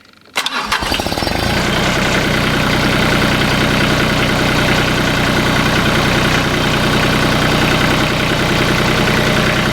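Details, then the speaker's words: 2013 Mahindra MAX 22 HST tractor, Mitsubishi 3-cylinder diesel, just after fuel filter replacement; glow plugs cycled, brief crank then steady clattering idle with no hesitation, so no air entered the injection pump. Normal start and idle. "And it looks like the manual was right. There is no hesitation in the idle, so we didn't put any air in the injection pump. That's excellent."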